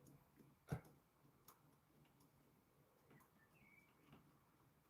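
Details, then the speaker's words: Washing machine with water at 70°C and a hot motor: faint irregular single clicks from the control board with no motor hum; motor not starting. Owner suspects new brushes stuck in their holders, unconfirmed. "I can hear the board clicking like it's trying to do something."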